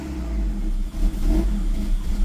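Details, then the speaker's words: Car fitted with a swapped immobilizer-delete (unlock) ECU: revs surge unevenly and dip hard as if about to stall, never settling to steady idle; owner suspects software mismatch from the car's eccentric (cam) mod, possibly original EPROM, unconfirmed. "Rölantide duramıyor. Bu bence benim yazılımımla alakalı. Çünkü arabada egzantrik olduğu için yazılımı etkiliyor."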